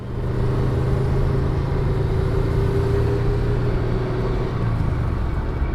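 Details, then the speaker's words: Subaru GC8 on a test drive at light throttle after replacing the roaring rear wheel bearing, with a cheap bearing and new seals. Steady low road rumble with no hum or growl rising with speed; the rear bearing is now quiet. "oh yeah she is driving a hundred times better look i'm not gassing it or anything and it's completely silent here no more noise back there"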